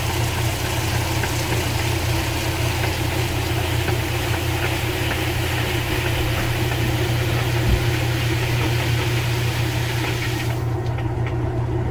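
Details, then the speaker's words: Kenmore 80 Series washer after motor coupler failure and motor swap, spin-drain cycle: steady, even low hum from motor and pump with no knocks or grinding, draining remaining water normally. "And now it'll do a spin drain. And it will drain out the rest of the water."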